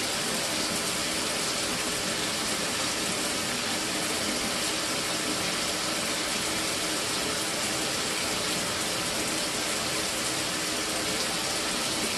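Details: Mira (Zora) shower after replacing the faulty solenoid valve that made flow stop and start intermittently a few minutes after switch-on: steady, unbroken hiss of running water with no surges or cut-outs; even, normal flow, repair fixed.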